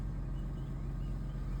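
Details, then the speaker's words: 2006 Mercedes SLK280 after crank-no-start fixed by opening and cleaning the ECU; deep, steady, even rumble at idle with no misses, knocks or rattles, buttery smooth and healthy. "And it sounds buttery smooth like I thought it should."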